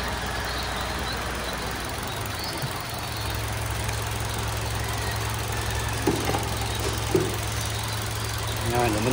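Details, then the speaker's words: Toyota Avanza engine after liner replacement for knocking: steady, even low idle hum, now quiet with no knocking. "Tahimik na yung andar niya mga bossing."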